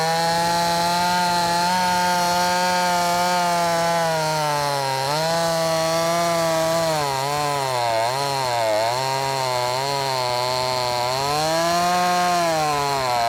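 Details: Brand new, unbroken-in Wemars 6220 clone chainsaw: strong buzzing note dropping and recovering into each cut, pulling cleanly; normal running under cutting load.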